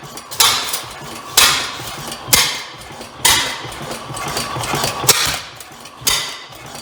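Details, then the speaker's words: Rare old Bovard & Company single-cylinder engine, first run with the compression-leaking valve shut: sharp, uneven bangs about once a second; owner suspects an exhaust issue or backfire and notes it is hard to adjust. "well we have ignition um may have a little bit of an exhaust issue there did that backfire"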